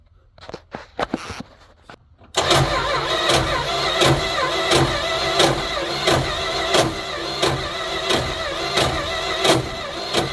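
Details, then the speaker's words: 1972 Plymouth Fury I small-block Mopar, cranked with new plugs after years of neglect: slow harsh cranking with a loud grinding scrape about every two-thirds of a second; starter hang-up first suspected, then a bad spot on the torque converter ring gear. "Well, that does not sound happy. I've never heard that noise before. I don't know what the heck that is. Huh. Maybe a starter hanging up."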